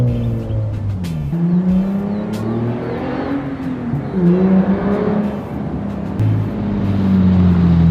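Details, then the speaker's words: Nissan 350Z with a new ISR Performance exhaust replacing a raspy straight pipe, revved in an exhaust test; the engine sweeps up and down cleanly with a deep, even tone; the exhaust sounds healthy. "But yeah guys, the Z sounds way better than that raspy straight pipe it had."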